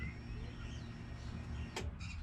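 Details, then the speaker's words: Nissan S14 with swapped RB25DET that died with a fuel issue, key-on before cranking: faint steady electric hum of the in-tank fuel pump priming, one brief handling clatter; pump works, owner hopes fault is fuel filter. "so we're gonna prime it right now on that prime can hear the fuel pump working can you hear it"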